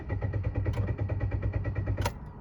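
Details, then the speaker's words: Automatic car with check-engine light on: starter cranks evenly and fast but the engine never catches; tachometer rises so ignition and crankshaft sensor work, fuel pump is heard; cause unknown. "Бензонасостың дауысы естіліп тұр. Бірақ та көлік оталмайды."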